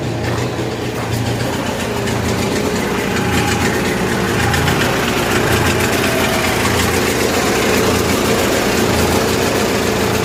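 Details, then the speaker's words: 1980s Kohler 7000 W gasoline generator in 1963 GM PD4106 bus conversion, no load, choke at least halfway on: steady but lumpy uneven beat under heavy exhaust drone; running super rich from choke; later tune-up (plugs, points) improved running. "all the way super rich super rich it sounded good for the moment"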